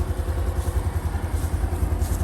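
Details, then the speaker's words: New 2023 Honda Wave 125i engine at idle: small single quick, even ticks with a soft low putter, no knocks or rattles; normal, very quiet idle. "หลายๆท่านกลัวกังวลนะว่าเครื่องมันจะดังเหมือนกันหรือเปล่านะครับถือว่าเงียบมากนะเพื่อนฟังเสียงอะไรแบบถือว่าเงียบมากนะครับเพื่อนๆนิ่งๆเลยนะครับ"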